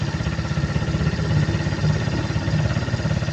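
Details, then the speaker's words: Suzuki Hayate scooter with cracked vacuum hose: small engine putters fast and even with idle raised to about 1,600 rpm instead of the normal 1,400; covering the hose with a finger slows and smooths idle, confirming the vacuum leak. "รอบเครื่องมันจะสูงขึ้นถ้าสมมุติว่าถ้าระบบมันปกติรอบเครื่องมันอยู่ที่1,400แต่ถ้าเกิดว่าไอ้ท่แวคคั่มเส้นเนี้ยมันแตกตามตัวอย่างที่เห็นเนี่ยรอบเครื่องมันขึ้นไป1,600"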